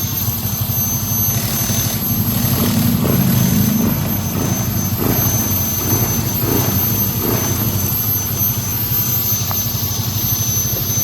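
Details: Yamaha NMAX scooter that wouldn't start because water got into the fuel tank: after the fix, with about 1 liter of fuel, it runs steadily with an even beat around four per second and no stumbling, healthy again.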